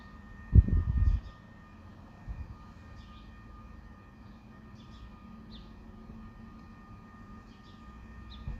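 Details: Quiet night background with a constant low drone, faint steady tones and occasional birds, recorded within a property; a humming nuisance attributed to Spooner Industries, Ilkley, mostly heard between 2am and 5am, loud enough to wake.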